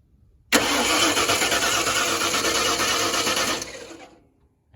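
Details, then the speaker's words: 1994 Ford F150 5.0, intermittent crank-no-start: starter spins evenly about three seconds without firing; test light on the coil stays solid, so the coil gets no fire signal, narrowed to the distributor PIP sensor or fender-mounted module. "you can see it's solid. So now we know the coil isn't getting the signal to fire."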